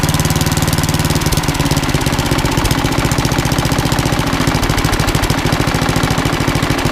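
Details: Old rusty Tecumseh 10 hp HM100 after a genuine Tecumseh carburetor replaced a rusted knock-off and the governor linkage was reset: rapid, even single-cylinder putter at steady speed with no hunting or misses, running great.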